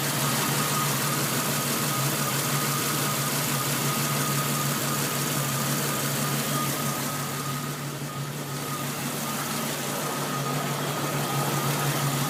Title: Rough idle